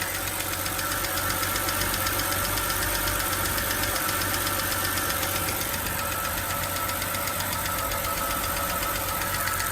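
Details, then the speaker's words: BMW 328i E92 petrol six at idle after replacing spark plugs and ignition coils to cure misfires (also new serpentine belt and valve cover gasket): steady even idle, light rapid valvetrain tick, no shaking or misfire; smooth idle. "it smooths guys oh you cannot tell from a camera but it's oh my god actually just fix it look at the engine it's not shaking at all"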